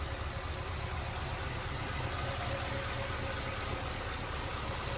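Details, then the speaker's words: 1946 Ford Super Deluxe Woody Wagon flathead V8, 6-volt system, oil bath air cleaner: low, smooth, even burble at steady idle with no knocks or misses; running sweetly. "There it is. That's how smooth that one's running."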